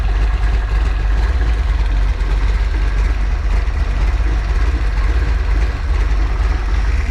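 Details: Freshly built 408 stroker small-block Ford Windsor on break-in oil, warm, running on the stand: deep, steady low rumble with an even firing rhythm and no knocks or ticks; idling smoothly.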